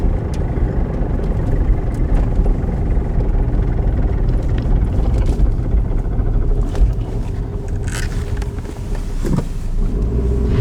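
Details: 1997 Ford Escort 5-speed manual: rough, uneven rattling under low road and engine rumble while coasting, stopping on acceleration; caused by the manual transmission, and replacing it cured the noise.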